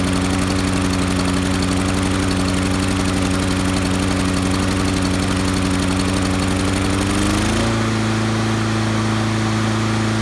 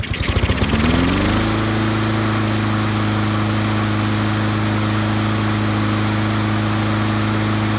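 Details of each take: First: Honda lawn mower with auto choke, just started: runs low and chugging for about seven seconds, not reaching full rpm, then smooths out and comes up to speed; surging after cold start, addressed by Honda's governor spring service bulletin. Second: Honda-powered auto-choke lawnmower after the Honda service-bulletin fix for chugging and stalling after startup, new governor spring fitted and rpm set near 3000: catches after a second, rises, then settles into a steady drone with no hunting; running properly.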